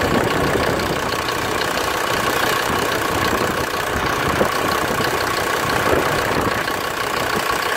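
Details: 1991 Ford Explorer turbo diesel, sat since July 2016, started after fuel priming and battery charging: steady diesel clatter at idle, rough uneven edge from cold, no stumbling; normal cold idle.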